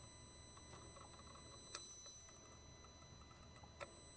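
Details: Mercedes Sprinter van that loses power and can't exceed 40 mph uphill, engine running after codes erased; mic close to the intake swirl flap motor: sharp isolated clicks over engine hum and high whine, suspected jammed swirl motor, motor itself possibly good.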